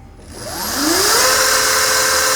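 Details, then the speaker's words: E-bike with a newly installed Flipsky FT85GS controller, 3-speed switch on setting 3 (wired as low speed, flipped from the ENC kit): a smooth whine climbs quickly and settles into a steady, even tone, no grinding or clicking. "Yeah, that's definitely the low speed. So it looks like as it's currently wired up, number 1 is the high speed, number 2 is the mid speed, and number 3 is the low speed, which is actually flipped, I think, from the ENC kit."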